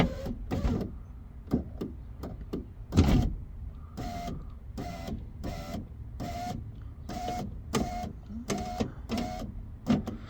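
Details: 2017 Mitsubishi Outlander power window after window regulator replacement and rewiring of track-damaged wires: short, repeated even motor whirs of about half a second, no grinding or clicking; window works, though it won't stay going down and the main switch is suspected faulty.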